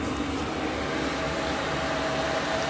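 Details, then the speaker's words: Chinese diesel heater in Ford Transit van, newly plumbed to vehicle fuel tank after bleeding: steady even whir and soft fan hum, no knocks or surging; normal running. "so it's all still safe inside that's now running off of my actual tank"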